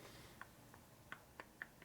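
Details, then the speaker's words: 1978 Harley-Davidson Shovelhead 110 engine case on the bench during machining: gear rocked by hand gives sharp irregular clicks, about five in two seconds; excessive clearance in a worn, loose gear shaft bushing. "that okay that's not rocking clearance that's just blatant clearance in the bush so that's loose here"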